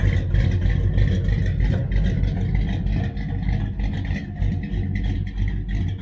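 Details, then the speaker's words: 1966 Dodge Charger, aluminum-head 383 V8 with big cam, headers and a new Holley 4150 double-pumper carburetor being tuned. Deep, steady lumpy idle with no knocks or misses, slightly rich at idle; owner plans to lean it. "it's a touch rich and idle i think i'm going to try to lean it out just a little bit"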